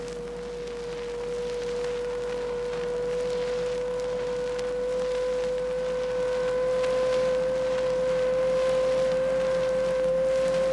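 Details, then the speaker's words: Rear axle gear whine heard on acceleration: clear steady whine rising in pitch as speed increases; could be caused by pinion-to-ring-gear tooth contact or pinion shaft bearings. "Hey, that sounds like a wine to me. All right. And you couldn't miss how that rear axle wine kept getting higher in pitch. It went right on up the scale."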